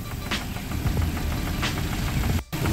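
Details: Suzuki Ertiga idling: deep, dull knock through the low rumble on each turn, coming from inside the engine; rod knock from a worn rod bearing.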